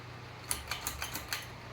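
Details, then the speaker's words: Hampton Bay Littleton ceiling fan running: sharp light ticks about every fifth of a second over soft fan hum, fan vibrating and bobbing; owner suspects motor tapping against wires not pushed far enough into the outlet box. "As you can hear, it's making a noise. I think the motor is tapping against the wires."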